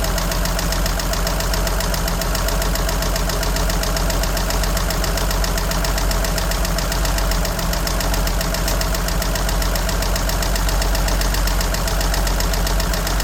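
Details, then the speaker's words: 1963 Jeep Gladiator, running after a hard start with a weak battery; the oil is very dirty and two quarts low. Light, fast ticking keeps pace with the engine over a rough idle: persistent top-end tick of unknown cause. "And evidently, she's still ticking. And something is weird with this."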